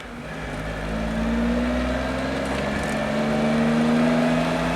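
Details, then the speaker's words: Suzuki Jimny JA22 while driving at 20–60 km/h, faint repeating squeaky metallic scratching over drive hum, not tied to engine speed; noise later recurred, cause still unknown. "Symptoms include a squeaky metal scratching sound when running"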